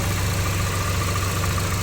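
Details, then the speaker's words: Auction car being inspected with minor front damage and a straight frame: steady, even low hum with no knocks, misses or surges. The engine idles smoothly and sounds healthy. "Engine sounds healthy. Let's close it up."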